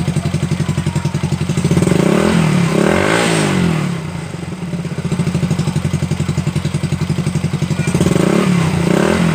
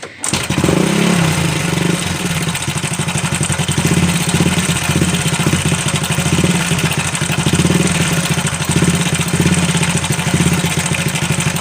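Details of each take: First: Supra Fit New motorcycle engine after repair of a damaged cam chain and tensioner: an even, steady note that climbs smoothly on each throttle blip, with the earlier clattering gone; it runs smooth again. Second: Supra Fit New, owner reports a strange noise inside the engine: starts and settles into idle with a rapid, even clatter over the firing beat; cause unclear. Abnormal engine noise.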